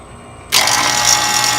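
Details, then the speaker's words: Three-phase HVAC compressor, 17 years 6 months old, switched on with gauges connected: silence, then a harsh, hissy rush and low hum, like aluminum cans shaking inside; compressor about gone, replacement to be quoted. "Yeah, she's about gone. That's about all she could take. Sounds like somebody's got some aluminum cans in that compressor and they're shaking it for all they're worth."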